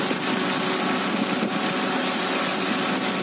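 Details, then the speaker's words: Idling engine after tightening the V-belt, with water sprayed on it: a steady run under the spray hiss with no squeal or chirp. The belt, water pump and alternator pulleys still spin fast when wet, so the belt drive is healthy. "Selepas kita kencangkan V-belt, oke, walaupun basah, belting, oke, puli semua masih berpusing dengan laju."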